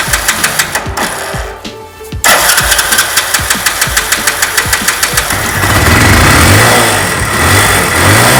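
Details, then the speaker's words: Mahindra Centuro with LPG kit, carburettor drained of petrol, vaporiser primed and drain nut tightened: a couple of cranking bursts, then catches into a quick, fairly even single-cylinder beat; normal starting and idle on gas. "और अब हम जो drain नट है इसको tight कर देंगे, एक बार और पुश करेंगे और अब गाड़ी को स्टार्ट करेंगे।"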